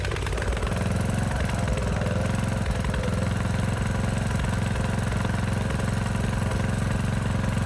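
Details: Craftsman DLS 3500 tractor, Briggs & Stratton OHV Intek engine, after head gasket replacement, warm after 8–10 minutes of driving: steady even low thump at idle, about four beats a second, no stumbling and no longer smoking; healthy.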